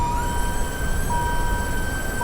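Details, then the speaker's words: Electric power steering pump on a Dodge Viper with a turbo Hurricane inline-6 and 8-speed swap, key on, knob changing pump duty cycle. Steady high whine with a second tone cutting in and out; air in the system suspected. "it's changing the duty cycle of the pump. So it should, in theory, be making our steering heavier or lighter. It's probably got some air in it though. That's probably why you're hearing a little bit of weird out of the pitch."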